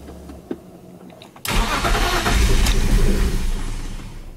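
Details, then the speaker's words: E46 BMW 330i M54B30 with M50 intake, ICV delete and N52 76mm throttle body, first start attempt: starter whirs about four turns a second without firing; crank no start blamed on an ECU checksum error after flashing. "it does try to run after a lot of fighting with this and I even flashed the factory ECU I went to the EU fortune and I also did not code out or patch out the check some uh checks inside the ECU which I read online who calls a crank no start situation like I was having"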